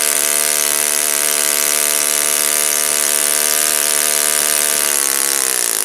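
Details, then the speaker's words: Saito FA-56 four-stroke glow engine, moderate-time, first run after teardown, cleaning and bearing replacement, 12x6 prop, OS F plug, Omega 5% fuel, tuning run: steady high revs with clean, even bark, no misses or rattles; healthy, well-tuned normal running. "I tore it down, cleaned it up, replaced the bearings. It's a looks like a relatively moderate time engine. As you can see, it runs like a champ."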